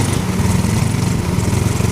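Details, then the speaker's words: Carbureted Yamaha Mio Soul scooter after engine repair for lost ignition: quick even putter at idle, starts instantly, no misfires or rattles; normal idle, though it still smokes. "Kalau untuk mesin di sini langsung hidup, ya. Tuh, dan ee suaranya enak juga ya. Untuk suaranya halus juga."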